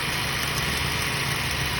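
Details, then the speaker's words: Ford Focus idling after fixing a no-start, no-crank fault: a wire touching a capacitor-like part was blowing the fuse; smooth steady idle with no knocks, misses or squeals, running normally. "probably go um some tape and take it up because you can see the car is running um everything is good now"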